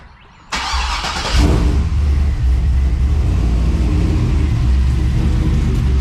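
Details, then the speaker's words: 1999-07 Chevy Silverado LS V8 race truck, first start after valve cover gasket replacement and new ground: quick crank, brief flare, then smooth even idle with low steady rumble; normal start and idle. "so I'm gonna jump in fire it up make sure she fires up with that new ground"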